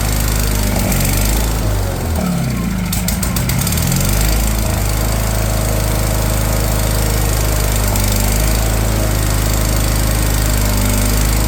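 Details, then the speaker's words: Wheel Horse 416 Hydro with a 16 hp engine, sat outside two years, on choke after a new fuel filter: a long laboured crank while fuel fills the carb, then the engine catches and runs loud and steady. "we'll probably have to crank it until it brings some fuel up into that filter and fills the curb up"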